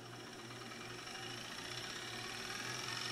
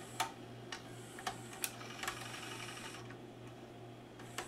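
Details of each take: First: Fast, steady buzzing rattle during rewind on a Magnavox ZV427MG9-A DVD-VCR with the mechanism unmounted; the capstan motor is touching the circuit board, after replacing a shorted capacitor and transistor. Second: Magnavox ZV427MG9 DVD/VCR after replacing a shorted capacitor and transistor on the capstan motor supply, rewinding a tape with the mechanism unmounted: light crisp clicks and a soft motor whir. Some noise is from the capstan motor touching the circuit board; working perfectly.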